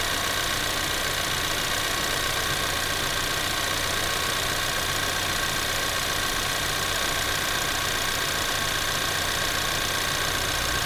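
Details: 2024 Ford Maverick XL AWD 2.0L EcoBoost, warm, idling with air conditioner on and blower through low, medium and high speeds: even rush of air, no rattles or squeals; normal AC blower operation.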